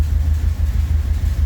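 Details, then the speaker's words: 1982 Pontiac Trans Am with Crossfire Injection, abandoned 30 years, running after a brake repair: deep, uneven, lumpy idle with a stumbling beat that sounds like a cam. It is actually a misfire. "She's got a cam in her. Nope. Just misfiring."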